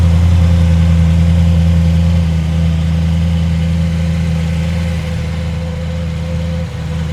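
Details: Audi S5 4.2 V8 after misfire repair: new gaskets fitted, air intake reinstalled, codes cleared to stop a flap fault. Steady, even low idle with a smooth burble and no stumble or miss; sounds healthy.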